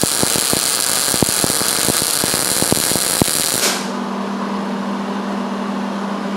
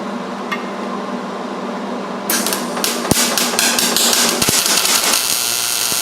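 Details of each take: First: MIG welding thick metal with heat cranked up and wire speed slowly tuned: steady sizzling crackle with fine even pops, then arc stops and a hum remains; properly tuned weld with a stable puddle and good heat. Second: MIG welding roll cage tubing with too little shielding gas: a harsh, uneven crackle and popping instead of a smooth steady sizzle. It leaves a porous, bubbly weld, as welding in windy conditions can.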